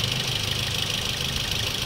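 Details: Toyota Vios 2NZ petrol engine idling, throttle body already cleaned and no misfire found, idle drops and stalls: uneven idle under a steady hiss; rough idle from a leaking PCV hose at the intake (vacuum leak).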